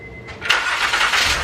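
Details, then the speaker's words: Engine in a car, started with power steering pump off, alternator unhooked and serpentine belt removed (owner feared bent valves): brief crank then catches cleanly into an even, steady run, much quieter, no knocking or clatter. "Wow so much quieter but you can go ahead and kill it that's magic that makes me so much happier"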